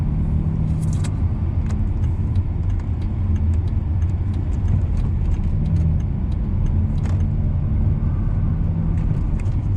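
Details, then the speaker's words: Volvo S60 T6 test drive on uneven road after replacing the front lower control arm: steady road rumble and no clunking so far, where it usually already clunked; minor squeak from steering wheel rubbing the airbag. "Okay, no clunking noise so far. Usually already clunk. So far so good."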